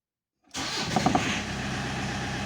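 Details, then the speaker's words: Rover 2.0 turbo diesel that had been hard to start at any time of day: after the fuel supply to the mechanical injection pump was fixed, it fires on the first turn and settles straight into a steady, even idle. It now starts quickly. "car is perfect, it just got started"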